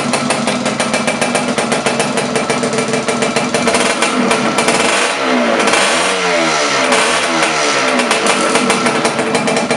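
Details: Laverda LB 125 with Zündapp KS 125 WC two-stroke engine, first start after rebuild: catches and settles into a buzzy idle, then takes quick blips that climb cleanly and drop back evenly. Normal running.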